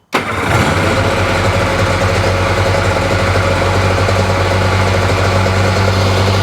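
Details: 2005 Sea-Doo 3D with 787 RFI engine that had sunk, stalling at idle with a suspected MAP sensor or bad connection: engine catches and settles into a steady, even two-stroke drone with no misses; briefly running normally.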